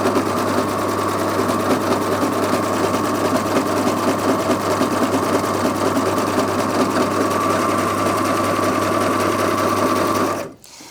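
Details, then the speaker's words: Brother Airflow 3000 overlocker sewing thick doubled fabric with the knife locked out; steady, even motor drone with a slightly laboured tone, no knocks or grinding; normal running under load. "you can hear that that's working slightly harder, and it will because it's thicker fabric in there."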